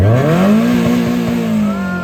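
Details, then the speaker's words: NA Mazda Miata engine pegging and bouncing off the rev limiter because the accelerator pedal got stuck in the carpet during a throttle blip, until the car was shut off; the car also has a misfire. "it just went pegging the red line pegging it just went bouncing off the red line until I had to shut the car off"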